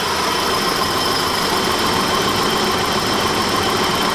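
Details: 1991 BMW E30 Touring at idle: fast, light, even tick over steady idle, keeping pace with engine speed; hydraulic valve lifters suspected as the source of the valve ticking, later fixed.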